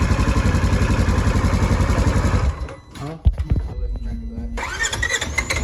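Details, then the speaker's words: Polaris Ranger 900XP side-by-side after a compression check. The starter churns at about four pulses a second for over two seconds without catching; hard start, cause unknown. "it's still not wanting to start on its own without giving it throttle but the weird thing is as soon as you give it gas and let off it'll idle onine"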